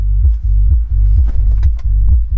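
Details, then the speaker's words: Car hi-fi with the fader set to the driver's side: only a low throbbing hum pulsing about twice a second and no music from the driver's door speaker, while the passenger side plays fine and the cables check OK; faulty speaker crossover. "most a vezető oldalnak kéne szólnia. És ha közelebb rakom a kamerát, nem szól semmi."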